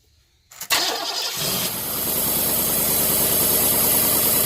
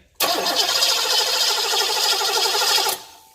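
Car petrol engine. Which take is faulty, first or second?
second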